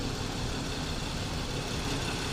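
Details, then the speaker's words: Warm BMW that shook for ~10 s after each start, with rear O2 voltage dropping to 0 V: front oxygen sensor unplugged, idle now quiet, steady, no surge or stumble, rpm and rear O2 voltage normal. "这时候发动机的抖动现象消失，发动机一切正常，怠速工作平稳，后氧传感器的电压数据也恢复正常，发动机转速非常平稳，而且后氧传感器的电压也正常。"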